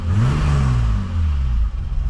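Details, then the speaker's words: BMW E28 535is M30 petrol engine, warmed up (low-RPM stutter/misfire appeared mostly when hot, exhaust earlier choppy), after ignition wiring replacement: revs up and settles evenly, steady exhaust note, no stumbling — smooth, no misfire. "That's a good sign. All right, so we let the car warm up and good thing we did because before the exhaust did sound a little choppy,"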